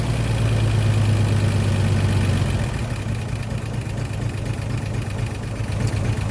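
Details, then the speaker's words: 1963 Chevy C10 Stovebolt straight six run for ten minutes with only good cylinders 1, 2 and 6 connected, to avoid baking oil into stuck rings. Lumpy, lopsided idle with an uneven low thump about two per second. Running on three cylinders. "Wow, so even with only 3 cylinders connected, it still runs. That's amazing."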